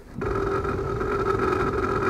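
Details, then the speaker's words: 2004 Toyota Sienna with heat on: loud, steady hum with strong mid whine as soon as the fan comes on, no rhythm, super noisy; failing heater blower motor, before replacement. "Behind me is a 2004 Toyota Sienna with a bad blower motor."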